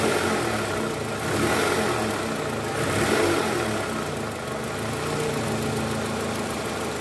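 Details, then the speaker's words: 2004 Toyota Camry 2AZ-FE 2.4L, 98,000 km, after replacing worn, loose balancer shaft that caused cold-start krok-krok noise: steady, even idle with a soft regular tick, no knock or rattle; normal idle. "sudah hilang. Oke, sempurna. Jadi penyebabnya memang karena balancer yang longgar, teman-teman."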